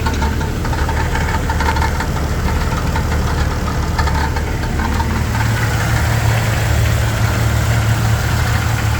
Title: Jeep TJ Rattling Noise